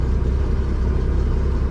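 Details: MerCruiser engine in a Manta Ray boat, after fuel pump tune-up work: steady, even low rumble with no knocks or misses; healthy idle, though the charging voltage reads low.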